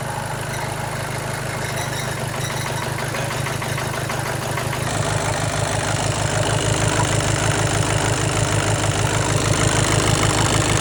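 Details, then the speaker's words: Seat Leon 1.6 TDI after timing belt replacement, following belt failure: long cranking before firing, then a heavy, lumpy pulse about three per second shaking the engine; it runs rough, later traced to an overfuelling injector. "and unfortunately as you can tell it's not running as it should be running first of all it's trunking too long till it's gonna fire up once it's gonna fire up it's gonna shake a lot"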